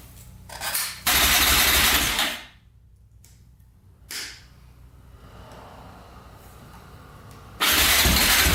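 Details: 2004 Yamaha Raptor 660 quad, gas down the carburetor, choke cable pulled by hand because its lever is broken: starter cranks about a second, drops out, brief stir, cranks again; hard starting, owner suspects carbs need cleaning, unconfirmed.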